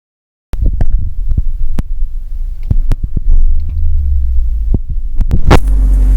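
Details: 2000 Mazda Protege FWD manual, driving: irregular hollow clunks about two a second over low rumble; not suspension, owner suspects clutch or transmission as noise lessens to light ticking with clutch disengaged, and believes it is absent in reverse.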